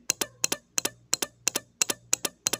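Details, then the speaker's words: Automotive relay bench test, coil energized with positive on terminal 86 and negative on 85: crisp paired clicks about three times a second as the contact pulls in and drops out, clean and consistent, so the relay is switching properly. "quiere decir que nuestro elevador se está accionando lo que es el platino internamente que sería este de aquí se energiza la bobina y nuestro platino está haciendo ese clic clic clic"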